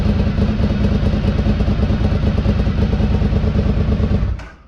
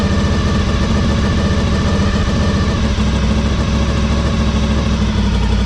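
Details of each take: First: 2003 Honda RC51 SP2 V-twin, first start after repairing rodent-chewed wiring to the harness and sensors. Lumpy, even off-beat idle at about 1,000 rpm with no rattles or top-end clatter, then shut off. Normal idle. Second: 2003 Honda RC51 SP2 V-twin, after repairing rodent-chewed wiring harness, warming up with airbox and sensors reconnected: loud, lumpy idle with raspy chuff each firing pulse, exhaust blowing where pipe joins rear-cylinder manifold, rowdy; small coolant leak also noted.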